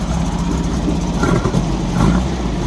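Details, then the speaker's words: 1964 VW Beetle flat-four with a backfire problem, running after the faulty ignition part was replaced: even, low, steady idle with no pops or misses, firing on all four, still slightly cold; normal idle. "little bit cold still but it's firing all four okay I'll switch it off"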